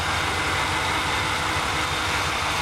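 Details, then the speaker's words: Dodge Dakota that shuts off when driving, idling at about 62 psi fuel pressure (spec 55–60) during a fuel-bleed-off test for a weak pump: even, steady idle with constant hiss, no stumbling or dips; holding idle properly. "when the engine's idling like this right now, it should stay idling just like this when I relieve the fuel pressure."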